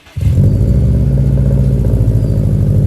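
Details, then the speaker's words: BMW E46 M3 before repair with one cylinder no longer firing; starts into a lumpy, uneven, loping burble instead of a smooth idle. The owner suspects a spark plug and plans plugs and coils. "That means we've lost a cylinder. So I need to figure that out before I can drive it again. So essentially one of the cylinders decided not to fire anymore."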